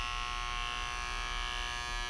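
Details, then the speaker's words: EBS260 handjet printer pressurizing its ink cartridge after start is pressed with a 4-line message loaded: steady, even high buzz; pressurizing takes longer as the cartridge empties, and a new cartridge pressurizes quickly; normal cartridge pressurizing. "Depending how full your ink cartridge is, it depends how long it continues to pressurize. A new cartridge doesn't pressurize, doesn't take very long."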